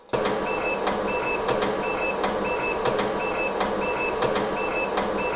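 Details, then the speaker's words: Seagate ST-225 hard drive in a PC/XT clone, cold boot after cooling overnight: rhythmic ticking about every 1.5 s with short high chirps over a quiet hum as the heads seek back and forth, and the drive won't boot. "and i don't believe it finally i get it on camera that's the noise that i'd heard previously you hear that back and forth from the heads"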